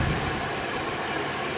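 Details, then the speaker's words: 2004 Chevy Venture wheelchair van, 195k miles, 3.4 V6, hood open: short stretch of smooth, even idle with steady rumble, no knocks or misses, good response; no check engine light; tiny oil pan gasket drip noted. "underneath the hood has a 3.4 v6 engine idle smoothly sounds good good response time"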